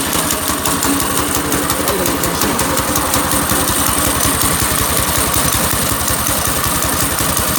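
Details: New Predator 6.5 hp single-cylinder go-kart engine started with choke on: it revs, then settles into a low, lumpy idle with uneven beats at roughly two to three per second; the idle is probably set too low (suspected).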